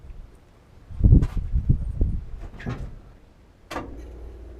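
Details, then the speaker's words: 1973 Plymouth Cuda 340 small block on starter fluid, fuel pump heard but pressure unknown: rough burst for about a second then sputters out; starts and stalls immediately, later fixed by replacing oil pressure line. "all right so it died instantly obviously as you guys can see that"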